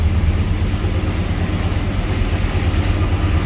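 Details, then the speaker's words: 1992 Trans Am that had been misfiring and running very rich, unburned fuel still in the exhaust: deep, uneven V8 rumble with a ragged puffing roughness at idle from a hole in the exhaust ahead of the catalytic converter. "there's still going to be a lot of fuel in the exhaust from when this thing was going crazy before still sounds terrible because of the uh hole in"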